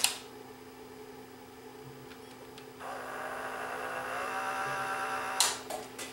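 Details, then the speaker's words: Mitsubishi HS-U760 S-VHS VCR that blew its 2.5 A DC fuse: at power-on a strained, labouring motor hum rises and holds; worn drive belts drag the motor, drawing too much current; fix is replacing the belts. "okay we have maybe a belt that's worn out or broken and it's you can hear it dragging the motor which of course is going to draw way too much current and blow that DC fuse"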